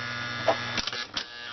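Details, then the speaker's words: Lionel-type model train snap-action track switch: a low steady electrical buzz before a few light clicks. The controller's status-light bulb keeps current flowing from the track through a coil and the bulb to ground. Solenoid coil buzz. "So you always have current flowing from the track, through a coil, through the light bulb, back to ground."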